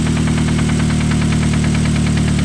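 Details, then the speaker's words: Engine at a steady idle with a fast, regular knock over the low rumble; sounds like the connecting rod banging on the crank, a rod knock. "hear that sounds like rod knock right there like the connecting rod is banging up definitely on the on the uh prank"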